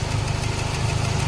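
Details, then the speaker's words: Toyota Baby Altis 2E engine at idle after a new carburetor fix (clogged slow jet), idle now stable: rapid, regular light tapping from the cylinder head. The mechanic suspects a loose rocker pivot, valve clearance, or a dead cylinder (he got shocked near No. 2). "So kung ganito yung problema ng sasakyan niyo, malamang to kung hindi pibot, buve clearance or patay yung cylinder kasi nakuryente ako kanina rito eh."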